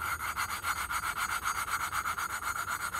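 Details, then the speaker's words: Hemi Predator 212 engine valve being hand-lapped into its seat with compound and suction cup: steady back-and-forth gritty rubbing, about four strokes a second, loud at first and getting quieter as the valve seats in. "we're just gonna work back and forth real gently and you can hear at the start the grind is pretty loud and as we work on it the grinding should get quieter"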